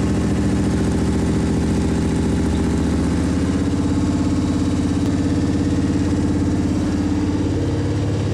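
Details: Sandrail V8 after engine swap, untuned and not yet hot, idling while water circulates in the radiator; deep steady burble with slightly uneven low pulse, holding a settled idle.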